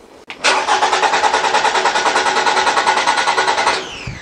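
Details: 2014 Toyota RAV4 2.5 litre, intermittent no-start: starter cranks steadily about three beats a second over three seconds, never catches; ignition spark being tested.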